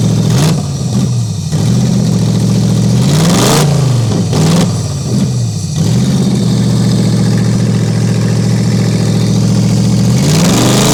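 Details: Toyota 1UZ-FE V8 race car engine, first run in years after owner's own rewiring: even idle with clean quick rev blips, no misfire or knock, probably about five times louder revving; normal idle and revving.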